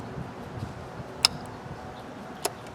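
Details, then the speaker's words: Craftsman tractor that clicks but won't start: the starter solenoid gives two sharp clicks about a second apart while a continuity test shows no continuity across its two main terminals, so the solenoid is faulty. "See, it's clicking, but it's not changing. We're not getting continuity through those two."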